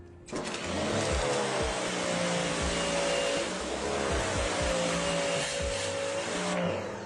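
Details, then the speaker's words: Sun Joe SPX3000 14.5 A electric pressure washer (2030 PSI max, 1.76 GPM), spraying: steady loud motor-pump roar that cuts off instantly on trigger release, an automatic shutoff saving the pump and electricity. "as soon as my hand lets go, the pressure washer shuts off. Saves on your pump."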